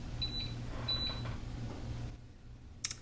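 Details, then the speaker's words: Keurig Rivo R500 during latte froth priming: repeated short high beeps (three beeps instead of one) over a low hum, suggesting the frothing pitcher was not pushed in far enough; cause suspected, not confirmed. "it says you will hear a single beep when the filing picture has been positioned securely it has not even three beeps which is what I just heard so I guess they did not have that push in far enough"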